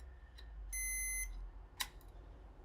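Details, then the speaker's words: NEMTEK Stealth energizer board under repair: multimeter in diode/continuity mode across the AC input gives one steady half-second high beep when probe polarity is reversed, after capacitors charge the other way; indicates a short. "Capacitors charging up. And I have a beep."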